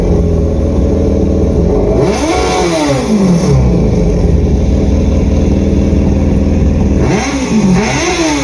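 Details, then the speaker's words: Generation 1 Yamaha FZ1 replacement engine; two clean blips rise and fall smoothly over steady idle, revving freely without stumbling, rattles or hesitation; sounds healthy. "i have a video here of the replacement engine so you can hear what it sounds like"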